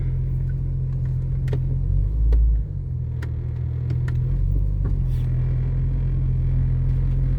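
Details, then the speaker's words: 1996 Jeep Cherokee XJ after a front axle install and caliper work, first drive, shifted into 4 low and reverse: heavy rumble, dull thump, scattered knocks and rattling under load; clunking in 4WD, felt to come from the rear end, cause unknown. "You heard the clunkiness. You heard all the rattling. Felt like it was coming from the rear end."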